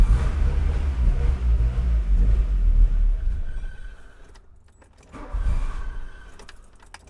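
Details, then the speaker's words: 1985 VW Cabriolet that sat about 8–10 years with bad gas and fouled plugs: long cranking that catches briefly and dies. Fuel pressure reads 160, about twice spec, from a clogged fuel return line, which was then cleaned out. "But basically what we saw was the fuel pressure was at 160 which is about twice what it needed to be."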